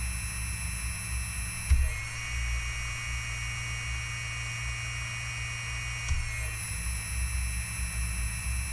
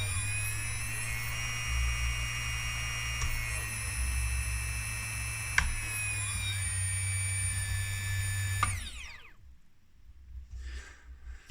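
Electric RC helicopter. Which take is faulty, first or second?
first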